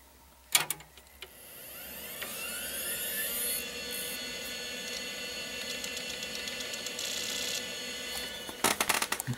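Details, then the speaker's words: Quantum Bigfoot CY 2 GB hard drive, blank and mounted at the top of a Pentium-MMX case: a click at power-on, then a whine climbing to a steady hum with light head chatter; normal spin-up, with a boot error expected. "sounds good obviously we're going to get a boot error because there's nothing on there"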